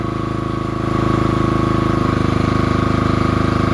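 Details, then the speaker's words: Generator, cold start in freezing winter weather: rough, rapid chugging shifting in tone, with uneven popping pulses; intermittent backfire. "that's everything. The blowups really don't phase it much."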